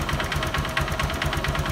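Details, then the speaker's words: Honda Verza motorcycle engine with a hollow metallic "kletek-kletek" clatter at idle, about eight knocks a second, rising with the throttle, plus slight rumbling and white smoke; scored, damaged piston slap suspected, connecting rod not yet ruled out. "kemungkinan Ya kemungkinan terdengar dari suaranya dia mengikuti alunan gas kemungkinan ada di piston ya"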